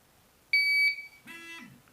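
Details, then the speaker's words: GZAIR SA103 carbon monoxide alarm powered on by holding the button: a sharp high beep, then a short lower buzz-chirp; the normal start-up signal before its 90-second calibration countdown in fresh air. "This button right here is the button that you push to turn it on. Just hold that in."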